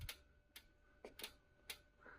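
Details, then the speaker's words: LG Direct Drive inverter washer: drum rocked by hand gives sharp dry clicks and a squeak as the wiring harness is tugged. The noise is louder on spin; undoing the retaining screw eliminates it. "Вот, но при движении барабана оттягивается коса вот эта и происходит вот такой звук."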